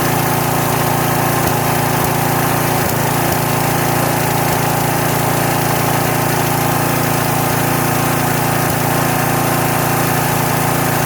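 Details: Troy-Bilt pressure washer's small single-cylinder engine on its first start after about 4–4.5 years sitting, with only gas added. It runs steadily at constant speed with an even beat, purring with only a slight miss.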